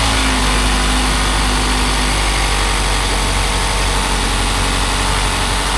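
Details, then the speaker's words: 2018 Mazda CX-5 at idle after replacing failed water pump and refilling coolant: smooth, steady hum with no rattle, grind or ticking; engine much quieter than before repair. "right when I turn on the car this engine is way quieter now man I'm just glad that it was just the water pump not the whole entire engine"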